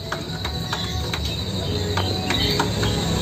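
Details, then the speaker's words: Revo Fit fuel-injected motorcycle with a rough, noisy engine that kept stalling. The camshaft bearing, turned by hand, gives rough, notchy clicks about three a second instead of spinning smoothly; worn camshaft bearing. "penyebab berisiknya ada di bagian sininya di bagian laher noken as laher noken as-nya ini bunyi ya"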